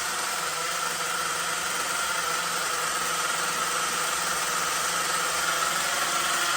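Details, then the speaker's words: LRP 32x Spec 4.1 nitro engine on its second break-in idle tank in cold weather: fast, even buzzing idle with a soft, blubbery note and a lot of oil from the exhaust; still running rich at idle. "let's see if we're making temperatures still running rich a lot of oil coming from the exhaust"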